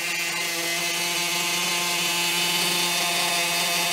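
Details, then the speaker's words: New Maxy's Cinco 2.0 nitro engine during break-in on break-in fuel: a steady, even high-pitched buzz with no misses or stumbles, the engine idling cleanly and settling in well. "going pretty good uh she's starting to idle like nothing no problem"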